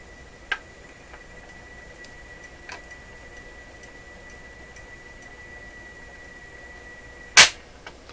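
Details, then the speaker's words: Garrard 3000 automatic record changer from an Emerson EH23A stereo console, running at 33 rpm before maintenance: quiet run with light ticks, then a firm clunk as the arm returns and it shuts itself off normally. "Shut itself off automatically. Hey, that's not too bad."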